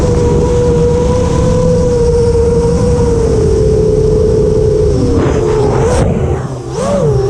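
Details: FR7 FPV quad after a second PID tuning session with D-min turned off, which had caused a raspy motor noise: smooth steady motor tone swooping cleanly with throttle; motors sound healthy.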